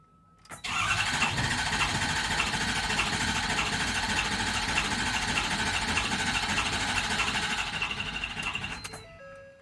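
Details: Ford 6.7 Powerstroke diesel: steady fast cranking at about three turns per second for roughly eight seconds, and it never fires; crank no start, suspected number three injector opening too much and returning fuel.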